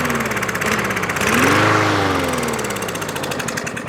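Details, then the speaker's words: About one-year-old 2023 Craftsman M110 140cc mower, Seafoam in the fuel, primed with squirted fuel. It catches and surges for about a second, then sags and fades out; it won't sustain running because of a jammed carburetor jet needing disassembly. "sometimes we have seen that we can keep the motor running and seafoam will knock whatever is loose and blocking up the jet will let it go through obviously there's something in here that's jammed in there pretty good"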